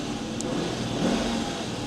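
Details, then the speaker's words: Dodge Charger at a public auction, earlier heard ticking: smooth, even idle with a brief rev and no top-end ticking, lifter tick has gone away and the engine sounds healthy. "Yeah, the lifter tick finally went away. It sounds so much better."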